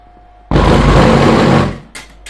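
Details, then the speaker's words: Car bass tube class D amplifier after repair of no-sound fault, subwoofer connected plus to plus and minus to minus: silence, then a loud deep bass boom holds about a second and fades; amplifier driving the subwoofer properly. "तो इसने हमारा सब चीज़ गिराना शुरू कर दिया।"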